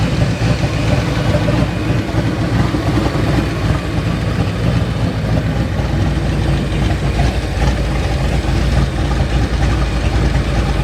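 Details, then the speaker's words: 1989 Mustang GT V8, first start after sitting over 10 years, still needing a fuel tank and pump hanger: a steady, even low rumble with no knocks, misses or surging; idles smoothly, and oil pressure looks good. "Oil pressure looks pretty good. Idle looks good."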